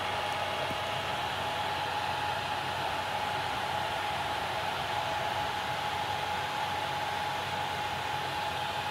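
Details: Ontel Handy Heater Turbo 800 wall-outlet ceramic space heater, a few days old, set to 90, running plugged into a basement wall socket: a steady loud airy rush with a thin constant whistle, no rhythm. The fan is far from the quiet advertised on the box.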